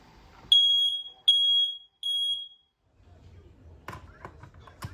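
Three loud, piercing high beeps about half a second each, then silence and room noise; a healthy alarm answering its test button.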